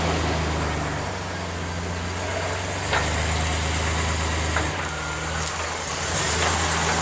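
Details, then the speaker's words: Truck with a manual gearbox, stuck wheel with lug nuts left slightly loose and backed off, freed by reversing and stopping hard using the clutch: engine rumble with dull, irregular clunks as the wheel breaks free and sits loose on the hub. "Sounds like it's loose. I can hear the clunking, so it sounds like it's loose."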